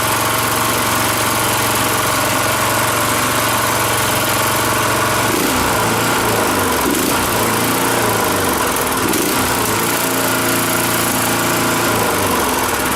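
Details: Rototiller single-cylinder engine after carburetor cleaning, warm after about 20 minutes running, fuel off running dry: steady low idle with even firing, no misses or knocks; idles right down before quitting.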